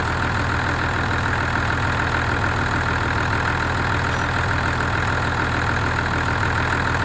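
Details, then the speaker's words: Ford tractor diesel restarted after a blocked fuel supply was cleared, having pulled in air: even, steady idle clatter with a regular beat, no misses or knocks; normal idle. "I'm quite delighted how well this sounds it's not not s like a John Deere anything it's not as near as nice as that but for this thing it sounds pretty damn good"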